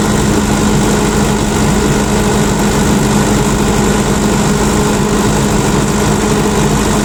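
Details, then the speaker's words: Tata diesel generator after repair of a loose toggle switch cable that cut controller power, during 10–15 minute test run; smooth constant drone with faint hum, no surging, knocks or misses; running normally. "So DG start and stop బాగానే అవుతుంది."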